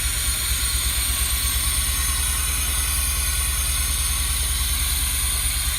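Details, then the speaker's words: Pontiac Fiero GT petrol engine, first start after fuel pump and clutch slave cylinder replacement, idling: steady low pulse under loud constant hiss from a large vacuum leak somewhere. "So I don't know if you can hear me, but there's obviously a pretty big vacuum leak somewhere in here. But it's running."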